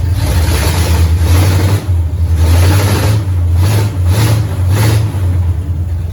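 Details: 1969 Pontiac GTO barn find with Grand Prix V8, TH400 and Quick Fuel 750cfm carb, after 17 years sitting; deep even rumble with clean throttle blips, no knocks or misses, 14 volts charging, smoke off headers, some valve-cover blow-by. Normal running.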